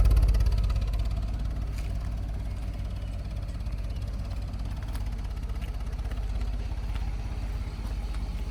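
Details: 2011 BMW 528i F10, N53 3.0 L I6, 272 hp, check engine light on: uneven lumpy idle with irregular low thud about three times a second, shaking like a diesel; engine misfire.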